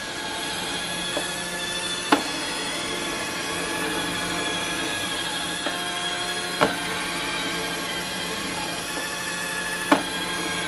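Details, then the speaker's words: iRobot Roomba on carpet carrying extra weight (handles 5 lb, not 10): motor and brush whir with sharp clicks every few seconds as drive wheels slip and struggle; normal once weight removed. "I knew it was going to be less, but I didn't think it'd be that less. It's moving a little bit. It's obviously struggling."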